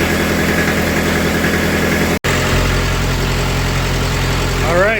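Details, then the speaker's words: Kubota F3680 diesel 4x4 mower after reassembly, injection lines reinstalled and bled: settles into an even, steady idle with a smooth low thrum, no misfire or knocking; owner hopes this fixes a burning coolant issue; normal idle. "like that ping like a kitten all right super pleased to have it running again uh sounds great"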